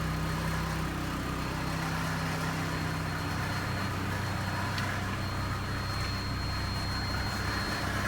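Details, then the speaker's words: 1991 Mercury Capri base model, 5-speed manual, 52,000 miles, side-collision car: engine idles smooth and quiet with steady low hum; slight exhaust rattle, possibly catalytic converter plate. "the engine itself iser nice quiet you can tell this is Somebody's Baby"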